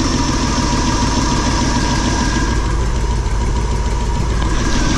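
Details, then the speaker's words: Motorhome V8 after new spark plugs and wires, replacing ones with carbon bridging from dielectric grease: loud steady idle with a light, irregular sewing-machine tick from the valve covers; owner suspects rocker or lifter; ticking at idle. "a little more smoothly sounds like I got something wrong with rocker or yourself"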